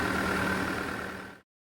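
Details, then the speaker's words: CASE 450 after cooling fan repair following a tree strike, fluid refilled: steady diesel drone with even hum and constant fan note, no rattle or scrape, not overheating before shutdown. "All right, it's back together. It's working. It's not overheating. Success."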